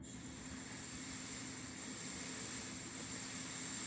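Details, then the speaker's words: 1998 Nissan 180SX with the engine off, intake pressurized to about 15 psi by an air compressor at the MAF connection: a steady high-pitched hiss of air escaping at a ridge of the intercooler; boost leak. "Well, I found the leak. It is actually, see if I can get it on video, right here on this ridge of the intercooler."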